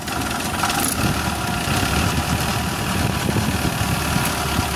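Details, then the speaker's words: Suzuki Carry 1.0 at idle: rough, loose, uneven clatter over engine note, diesel-like; cause found as worn-out timing cover mount cushion, engine smooth after repair. "ng terjadi adalah pada bagian cover timingnya bantalannya habis lur."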